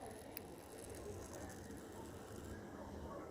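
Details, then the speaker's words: Wall light switch that is switched on gives a steady, faint fizzing crackle, depending on how it is switched, as if about to burn. Cause suspected, not confirmed; the switch was reassembled and then worked normally. "Tem hora aqui que dependendo do jeito que você liga, pessoal, fica um barulho. Quem vê tá pegando fogo, galera."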